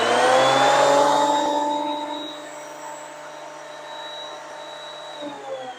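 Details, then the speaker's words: Delta benchtop planer after drive belt replacement, running with no load; high steady motor whine spools up and holds even pitch with no slapping or grinding, a healthy normal no-load run, back in business. "That sounds like we're back in business."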